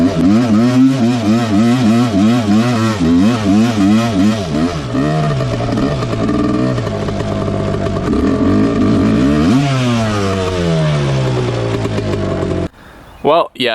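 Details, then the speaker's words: 1986 Suzuki LT250R two-stroke quad on a ride: revs climb hard in gear, then flare suddenly as drive drops out; every gear after first pops back into neutral, with neutral between each gear. "so every gear besides first gear you can hear it drop back into neutral um seems like there's neutral between each gear after first gear"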